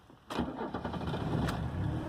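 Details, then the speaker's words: 1983 Mercedes 300CD diesel, 198k actual miles, cold first start of the day at about 38°F: catches quickly into a lumpy idle with an occasional skip; owner suspects a bad injector, no blow-by, smooths out once warm. "you can hear a little bit of a skip on this thing and I think I've got a bad injector there's no blow-by on this car and that's actual miles on the car 198 but it kind of skips a little bit in the morning on the cold days but it pretty much smoothes out once it gets war"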